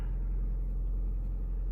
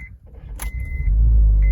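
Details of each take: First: 2008 Honda Civic Hybrid on cold start after replacing the top engine mount that caused idle vibration, buzzing and cabin hum: low, smooth, even idle rumble with no shake or knocking; normal idle. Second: 2008 Honda Civic Hybrid idling warm: deep droning hum and buzzing vibration resonating into the cabin, with substantial engine movement at idle, from a worn top engine mount, then replaced.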